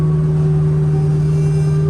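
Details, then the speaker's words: 1964 Chevelle wagon, aluminum 6.0 L V8, Gearstar automatic, driving: strong steady low hum with clear higher tone over drive noise, coming and going; original 10-bolt rear differential bad ring and pinion howl. "That's a bad ring of pinion. Oh no, it's good now. Okay, it's bad again."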